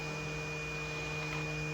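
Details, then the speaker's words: Portable DVD player after repair: disc had rubbed the lid, plastic heated and pushed up; now a quiet steady hum of the spinning disc with no scraping or rubbing, far quieter than the earlier infernal noise, drive running cleanly. "Et là, ça tourne et il n'y a aucun bruit. Et c'est nickel ça. Et le DVD il a démarré."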